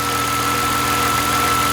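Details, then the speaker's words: BMW E46 coupe with M54B22 petrol engine, misfiring, idling with a steady thin whistle; vacuum leak under the intake manifold from a detached secondary air pump line. "yeah yeah there's definitely a vacuum leak under the manifold where this one goes to"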